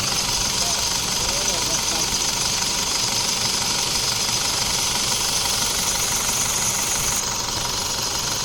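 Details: Isuzu D-Max diesel at idle after AC compressor clutch replacement and refrigerant refill: steady idle with constant airy AC hiss, no clutch chatter or grinding; compressor running normally.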